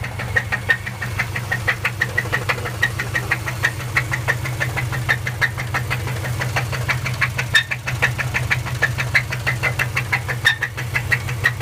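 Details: Subaru Forester SF5: sharp, regular ticking knock about three per second over a steady idle; owner fears the engine is dead, cause not yet known.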